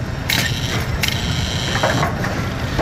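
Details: Brunswick A2 bowling pinsetter after adjusting the cycle linkage gap at 180 degrees: running through its cycle with clean mechanical clicks and a steady gear rumble, no binding or grinding; normal cycle.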